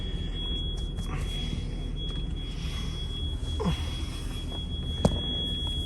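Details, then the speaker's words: Freightliner-chassis diesel motorhome idling while airing up its primary and secondary air tanks; a constant high-pitched low-air-pressure buzzer sounds over the low diesel rumble until about 75 psi, and it cannot move until air builds. "And as you can tell, you can hear the alarm going. It still does not have enough air."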